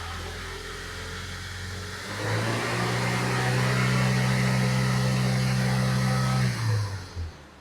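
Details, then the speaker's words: 2006 Toyota Tacoma 2.7, lean (P0171), downstream O2 at 0.0 V: steady idle rises and holds at a higher even drone, then sags and dies within a second once the MAF is plugged in; stall. "when I plug the MAF in, it just quits."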